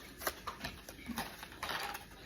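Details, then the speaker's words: Omnipod 5 insulin pod filled with about 130 units, priming after Next is pressed: faint, irregular small clicks in a quiet room; normal priming sound. "And I'm going to hit next. And you will start to hear the pod make some clicking noises and all of that. And it's called priming."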